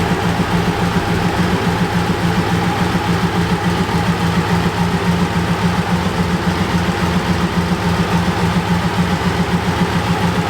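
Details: BMW K100 café racer build, running after problems were solved off camera: steady, even low-pitched idle pulsing about three and a half times a second, no misses or knocks; idling smoothly, normal idle.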